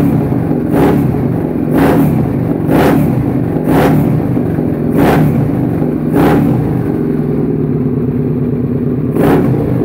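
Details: V-twin Suzuki SV650 self-built project starting up after rebuild, revving through repeated crisp blips about once a second, each returning cleanly; running strong and even, normal revving.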